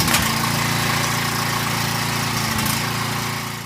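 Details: Small-engine generator that had sat unused and would not start, after a new carburetor was installed: a steady, even single-cylinder beat with no surging, hunting or misfire, then a smooth wind-down at shutdown. It runs healthy.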